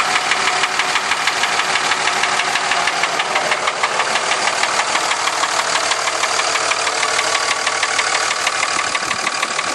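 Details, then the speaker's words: 2003 Dodge Ram Cummins 5.9 diesel idling with a loud, sharp, regular knock about three a second over rattly idle; flex plate and transmission ruled out by the shop, which planned a compression test. "all right okay 2003 Dodge 5.9 comings making a loud knocking noise"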